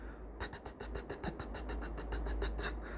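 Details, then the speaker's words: Cracked exhaust manifold: quick, sharp ticking at about three to four per second over a quiet engine at startup. The noise gradually fades as the engine warms up. "If it's making a ticking noise or tapping noise at startup, it's going to sound like"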